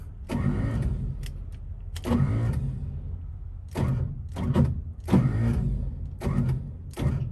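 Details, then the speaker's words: 1955 Chevy, long unstarted, on a jump box: repeated short starter bursts grinding briefly without turning the engine over, even after tapping the starter; starter fails to crank, starter suspected. "we'll give it a couple of love taps and see uh what it does all right so i gave the starter a few taps is that gonna help let's see nope"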